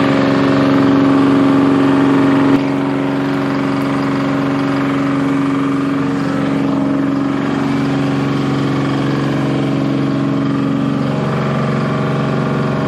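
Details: Bantam C350 crawler crane's Detroit Diesel (believed 3-53) two-stroke, revived after apparently being parked about 20 years: steady even drone dipping slightly as hoist load lifts the boom, no misses or knocks; healthy.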